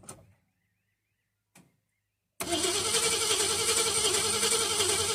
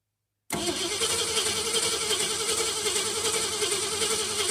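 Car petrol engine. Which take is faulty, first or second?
second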